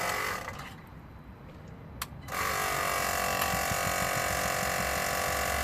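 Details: 2008 Citroen C4 Picasso diesel rear air suspension, compressor run during pressurising test: kicks in after a couple of seconds, settles into steady even buzzing pulse about four per second; normal compressor operation.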